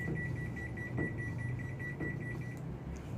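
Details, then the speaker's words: Hitachi SF-160KJS 16 kg top-load washer, spin set to 400 with no laundry: the drum wobbles and spin cuts out, then a high beep repeats about once a second with the drum stopped, signalling a C4 error. "โยกจริงๆแล้วก็ตัดครับ C4 นี่แหละครับ"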